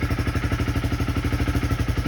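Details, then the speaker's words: Honda CB300R single-cylinder fitted with a JE high-compression piston, about 12.5:1; at constant throttle the air/fuel ratio stays near stoich. Quick even thumping idle with a slight wavering beat; idle unstable as the mixture goes lean. "So you hear the engine kind of unstable because it's getting richer. I mean leaner."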